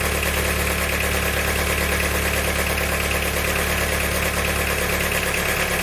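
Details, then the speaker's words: Engine after valve stem seal and head gasket job with a snapped camshaft bearing retaining bolt: steady idle with hard rhythmic knock about three times a second, metallic; knocking injector considered but doubted since air was purged. "definitely sounds like metals running around in there"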